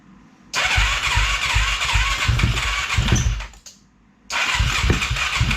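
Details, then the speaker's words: 2007 Yamaha YFZ450 quad on Rotella oil, just got running that night, owner suspects the stator could be bad: catches at once into a crisp quick single-cylinder beat with clean throttle blips; normal start and run. "Alright, so that is our 07 Yfz450, and she's built pretty good."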